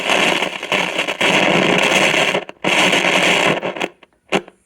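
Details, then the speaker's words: Recapped Heathkit T-3 signal tracer, audio side under test with high gain: loud crackling hiss cutting in and out as the control moves; dirty, scratchy potentiometer needing cleaning. "got to get that pot cleaned up"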